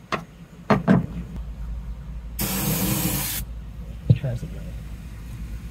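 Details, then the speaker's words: 1996 Suzuki Every van engine after fuel pump replacement, fuel pressure now present but tank nearly empty; short cranking bursts that almost catch then die, long hiss between tries, choke tried; cranks but won't keep running. "pretty sure it got fuel pressure now I can hear it really wants to run now like maybe we need some choking in here"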